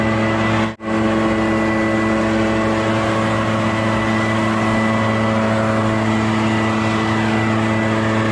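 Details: Echo PB650 two-stroke backpack blower, barn find unused about 5+ years, running on fresh gas while clearing a roof and gutters: steady, high, even drone at full throttle with one brief dip; runs clean and strong.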